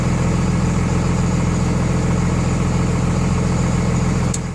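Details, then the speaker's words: 24-valve Cummins diesel after installing DDP 50hp nozzles (4200 psi pop) to cure idle miss, Quadzilla tuner: even steady idle, regular knock-free beat, about 850 rpm versus factory 900; normal idle. "what factory is that 900 rpm now we're out like 850 I believe it is"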